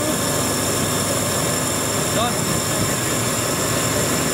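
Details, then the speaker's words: Jeep 4.0 or 4.6 engine, 2000-2006, after cam sensor replacement, starting and settling into a steady even idle under some hiss, with no misses or stumbles; runs smooth. "so now we'll go and uh fire it up and you'll be able to see it start up and ID will smooth is simple as that all fired up running"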